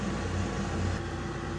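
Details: Weil-McLain HE boiler (integrated control 1013-200) firing: loud constant drone with rough low vibration under fan whoosh; technician says combustion blower sounds tired, mounts might be tired. Suspected, not confirmed.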